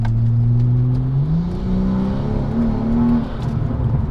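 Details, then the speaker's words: Warmed-up car on its old street tires, before fitting Mickey Thompson drag radials, during a mini pull: revs climb quickly and flare up and down with a steady roar while the traction light flashes. The tires keep spinning without gripping. "You guys probably didn't see the light flashing, but you can definitely hear it, that the car is not making contact and it's just continuously spinning."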